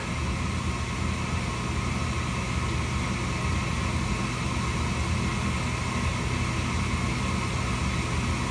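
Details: Slant-Fin VSPH-120 gas boiler draft fan before ignition; steady even low hum with smooth airy whoosh, no rattles or surging, running normally.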